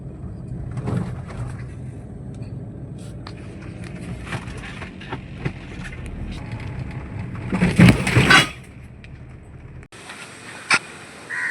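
Low road rumble, then one sharp clunking burst as the left front drops into the pothole; a worn front strut shock absorber.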